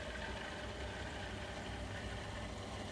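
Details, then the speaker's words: Watts hot-water recirculation pump newly installed on a standard water heater, 110 V, switched on for testing: low, steady, ultra-quiet hum with a faint even rush of water, no rattle or grinding; normal pump running. "And it's ultra quiet pump. If you touch it, you'll feel it run, and you can hear the water going through."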